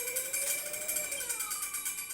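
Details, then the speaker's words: Old Suzuki motorcycle converted to electric power, throttled with no gear needed: rhythmic srek-srek scraping keeping time with the wheel over a rising, falling motor whine. The disc brake is rubbing, and the owner suspects the pads are worn after long use. "ini ada bunyi suara srek srek srek karena pengeremannya nih kayaknya kampas udah mulai habis karena udah lama saya pakai juga waktunya ganti kampas"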